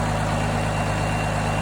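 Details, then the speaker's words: Diesel engine at steady idle with 50 psi oil pressure while running: deep even clatter, no knocks or misses, running really good; normal idle. "i wish i'd put the oil pressure on there but it's got 50 pounds oil pressure right now i'm gonna shut it off here and check the oil pressure afterwards you can hear it's running really good"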